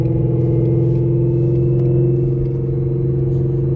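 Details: 800 whp Ford Mustang GT with a Calimer stage 3 transmission with straight-cut built gears, POV drive: a loud, constant gear whine holds steady at light-throttle cruise over the engine drone; normal straight-cut gear whine.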